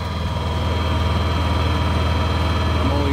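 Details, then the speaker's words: Honda EU7000is inverter generator back-fed into the house panel, air conditioner switched off: even, steady low drone with smooth four-per-second pulse, no misses or knocks; normal running at light load. "okay now this is with air conditioned off"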